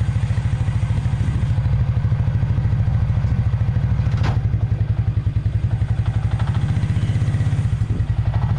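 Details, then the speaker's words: 1996 Suzuki King Quad 300 4x4 ATV single-cylinder after carburetor rebuild: even thumping at a fast idle, clean with no misses or knocks; running better than before, normal running. "well as you can see it's running now and it's running a little bit better than it did before"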